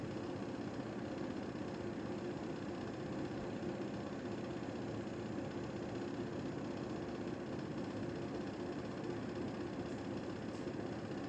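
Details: Panasonic indoor air conditioner running after its fan was broken during cleaning: constant low rumble with heavy vibrating drone under the airflow from the unbalanced cracked fan; fan replacement needed.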